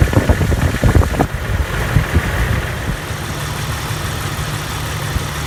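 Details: Jeep TJ 4.0 at cold start: sharp irregular knocking for the first second over low idle, then a steady rumble; nearly gone when warm, ongoing over a year; owner unsure if lifter or rod.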